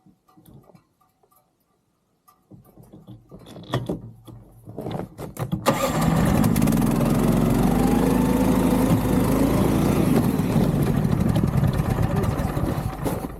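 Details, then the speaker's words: Snowdog tracked snow machine in deep winter snow; throttle stuck fully open while reversing, so the small engine jumps to a loud flat-out roar and holds without dropping back. "The throttle's just like fully stuck."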